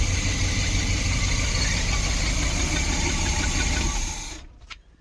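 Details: 1972 Barth motorhome engine running on its own for the first time in 15 years, electric fuel pump: even idle pulse about three beats a second, no misses, then switched off and winds down; runs healthy.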